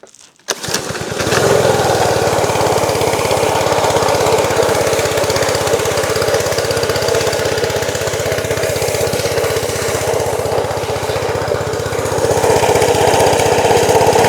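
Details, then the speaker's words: Small gasoline pressure washer engine, restarted after dying, catches then runs loaded and uneven with a rough beat; owner believes the pump's unloader valve isn't relieving pressure when the handle is released, making it bog. "Uh but uh so the uh I believe it's called the unloader valve. The valve down here at the bottom that's supposed to relieve the pressure when you let go of the handle"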